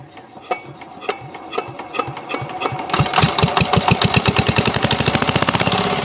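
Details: Old Changhuang R175A single-cylinder diesel, previously non-starting, first start after full restoration with fresh multigrade oil: slow single thumps pick up into a crisp, even beat, about eight firings a second; runs clean.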